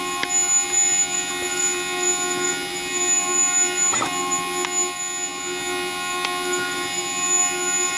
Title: Zebra Printer Sharp Squeaking Noise